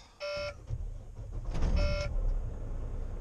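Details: Truck cab: two-tone chime bursts about every 1.5 seconds over low cab rumble, low-coolant warning with maintenance-required and stop-engine faults; false alarm, coolant just checked.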